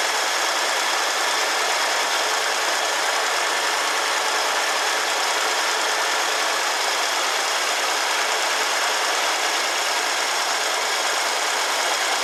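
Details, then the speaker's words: 1969 Ford Club Wagon barn-find V8 with the engine inside the cab, started on old oil after fuel lines were checked and reconnected. Steady, even run with no knocks, ticks or misses; runs well. "all right awesome I'm excited about that so now that we know it runs it runs good it doesn't make any crazy noises"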